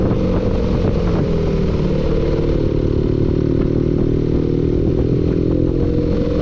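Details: Engine running steadily at low speed with a faint repetitive clatter over it; engine knock of unknown origin.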